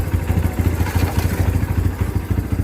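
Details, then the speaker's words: Kawasaki Barako 2 single after bottom-end rebuild with new connecting rod, breaking in: even, quick low putter at idle with a regular beat, no knocking or rattling; back to normal, quiet. "So ngayon okay na. Tahimik na siya ulit. Back to ano na siya. Back to normal."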